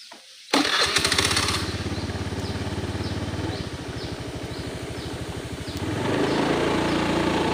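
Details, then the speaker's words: Honda Beat FI scooter, low-speed road test: starts first try, steady even low-speed putter with no stumbling or RPM drop; earlier it stumbled at low speed, especially in rain. "Tidak ada gejala yang muncul seperti kemarin. Semuanya aman, teman-teman."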